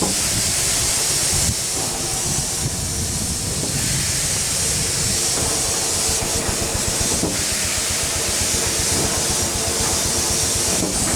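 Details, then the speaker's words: 1895 Bates Corliss steam engine, 14" bore x 36" stroke, 10 ft 9000 lb flywheel: steady hiss and soft even chuffing, no knocking; only steam leaks remain, possibly a broken pipe in the steam chest. "all right we got all the noises out of it no more knocking all we have is leaks we gotta fix quite a few of them"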